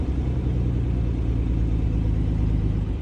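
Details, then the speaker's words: 1951 Dodge six-cylinder, long-sitting, running after a new fuel pump and jump box: deep, steady, even idle with no misses or knocks, running smoothly on its own. "Will it idle? Oh my god, it idles. Oh my god, shit's idling. It's fucking sitting here running. That old Dodge 6-cylinder is running like a fucking song, ladies and gentlemen."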